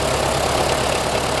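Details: 1925 Ford Model T after decades sitting: steady even idle with busy mechanical clatter, no misses or knocks, spark advanced and making a difference; runs smoothly, normal idle.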